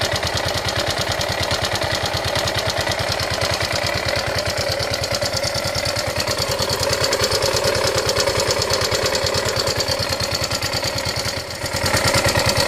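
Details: Yamaha Ego Solaris scooter engine at idle, sounding very rough: a fast, uneven, rattly clatter over the engine with no steady rhythm. The cause was a worn, scored cylinder and a broken cam bearing.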